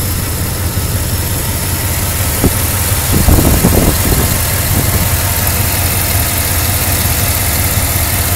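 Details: Buick Roadmaster with LT1 V8 at idle: uneven lope with a brief rise and stumble. The problem is bog, misfire and idle surge, cause not known.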